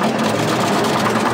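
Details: International Harvester TD20E bulldozer, 13.0 L DVT800 diesel V8, revived from scrap, in neutral: deep, steady idle with even beat, no knocks or rattles, good oil pressure after first start.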